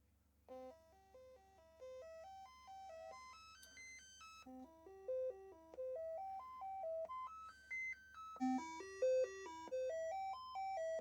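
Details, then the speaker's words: Commodore 64 after repair, SID sound chip diagnostic test: clean stepped tones run up and down scales twice, all voices present, healthy; RAM passed and CIAs counting correctly. "I'm also noticing that the CIA's are counting up. Exactly as they should. And all of the SID sounds are there. Fantastic."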